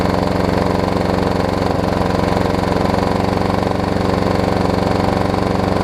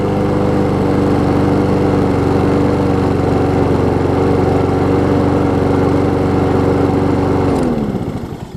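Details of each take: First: Troy-Bilt self-propelled mower with blown, abused Briggs & Stratton engine running after a plug check: fast rough knocky chugging about four beats a second while puking oil out the side; blown engine with oil leak. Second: Troy-Bilt self-propelled mower fitted with a donor pre-2012 Honda engine, on restart. Steady, even beat for several seconds, then winds down; slightly low compression but normal running.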